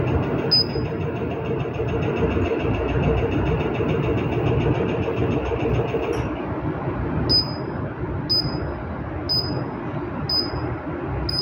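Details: Treadmill motor drones loudly and roughly while the console beeps about once a second, showing error code E-02; cause unknown.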